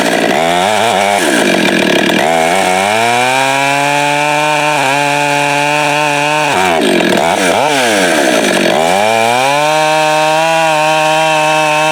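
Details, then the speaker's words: Husqvarna 572 build (562 with popup piston, no base gasket, muffler mod, torque-oriented tune, ~182 psi, breaking in) cutting firewood with 28-inch bar, 8-pin sprocket, new safety chain: revs sag hard in cut, climb back slowly; lugging, sprocket too tall. "and number two that this saw really can't pull a 28 inch bar with an eight pin sprocket"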